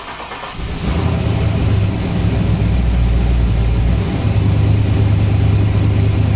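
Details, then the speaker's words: Freshly built 6.0L V8 (Canyon build) on first start, untuned MAF-side tune with table still being built: cranks, catches, settles into deep lumpy cam idle, about three beats a second, air-fuel good, oil pressure present. "Actually it's idling really nice for air fuel wise, but basically this is the table being created."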